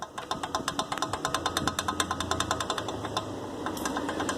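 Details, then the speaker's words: Ford EcoSport shock absorber removed after a suspension noise complaint gives sharp, rapid knocking, about six a second, from something broken inside; the top mount bearing was fine. "alguma coisa quebrou dentro do amortecedor aí fica fazendo esse barulho quando ela no casamento"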